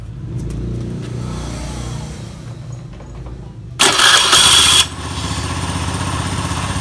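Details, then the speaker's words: Scooter CVT revved with cover removed after cleaning-only service: revs rise and fall smoothly with no rattle, while cover-on it rattles, confirming a worn (oblak) CVT pulley bearing, then replaced. "Nah, kan halus, tapi kalau dipasang covernya ini dia trek. Itu dipastikan laker ini oblak."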